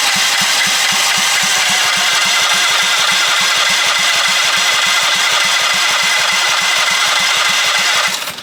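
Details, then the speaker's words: Half-scale NASCAR Mini Cup race car, first start attempt after fueling, carburetor not yet cleaned: the starter churns at about 3.5 turns a second without firing. There is no spark because the on/off switch of the two-switch setup was off. "Check for spark. It might be turning over, but we might not have spark. Yeah, we don't have spark."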